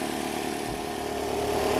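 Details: 2005 Nissan Altima 2.5L four-cylinder at steady, even idle after replacing spark plugs, coil packs and boots and the oil-leaking valve cover (oil had filled the number one and four plug tubes, causing misfires); smooth, no stumble or missed beats, sounds healthy.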